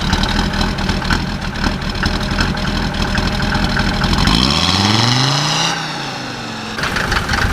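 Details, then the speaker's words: 1991 Mercedes 300D diesel, straight-piped with no exhaust after the turbo: loud open-pipe clatter rising and falling with revs, possibly a knock underneath; engine is smoking and burning a lot of oil. "it sounds like knocking hit something knock probably I mean it's burning a lot of oil"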